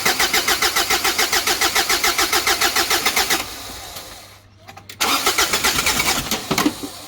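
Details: Big-turbo Ford Courier diesel ute, first start with system primed: even cranking pulses about 3.5 per second, then stumbles, dies and catches unevenly, won't settle to idle; fuel governor suspected, not confirmed.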